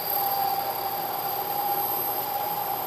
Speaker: you can hear the noise the chatter and if you look closely you can see a very irregular surface finish what's happening is due to the deflection of the part